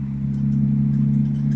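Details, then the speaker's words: BMW E36, driving after new ignition coils and NGK plugs replaced Bosch; belt tensioner still unfixed: steady low drone at even pitch, no misfire or knocking, running best it has been; normal running. "got everything fixed on it except for a belt tensioner seems to be running pretty good um when i say running pretty good i mean like"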